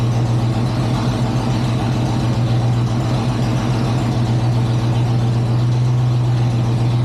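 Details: 1963 Chevrolet C20 with a 394 Oldsmobile V8, first start since 1998, fired on the first crank: a deep, steady V8 idle with an even burble and no misses, knocks or ticks. Normal idle.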